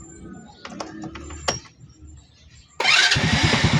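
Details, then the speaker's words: Motorcycle that would not start despite the high-tension wire having spark: it catches at once on the first press after a few quiet clicks, the fault usually being the spark plug; normal quick start. "Ayun oh, one click oh."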